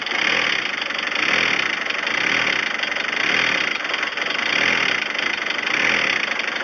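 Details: Volkswagen Transporter T4 with unstable idle, power loss and heavy white smoke: the idle surges slowly and unevenly with a hissy note. Rough idle from an air leak at the crankcase oil vapour recirculation tube to the intake.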